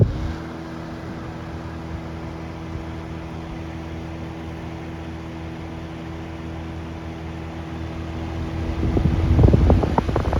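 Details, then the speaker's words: 1950s Westinghouse Riviera 8-inch fan R-1020, original cord with a replaced plug, running on high speed: smooth, steady hum with a constant low tone and no ticking or rubbing; healthy. "it's not going to be too much of a startup sound it just kind of gets up and goes so here goes nothing high speed"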